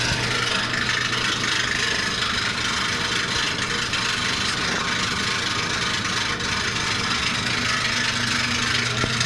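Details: Maytag washer makes a dry rasping rub repeating over low motor hum whenever the drum turns, here at initial spin.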